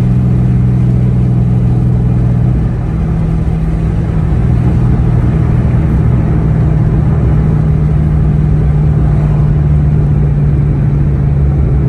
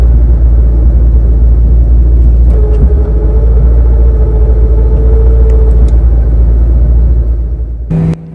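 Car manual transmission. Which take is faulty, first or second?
second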